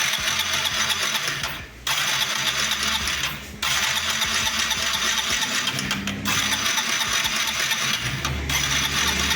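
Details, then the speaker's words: Honda CG Start Fan / Titan 160 motorcycle idling with a fast, sharp metallic tec-tec tapping from the middle of the engine, which is then opened up to find the cause. "Não sei se vocês escutaram o barulho, mas é um tec-tec aqui no meio do motor, tá?"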